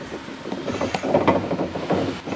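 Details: Off-road 4x4 with 5.38 gears brought home on a truck after a hard High Country trip: irregular heavy grinding and clunking as the driveline is turned by hand; broken differential gears, transfer case oil also cooked.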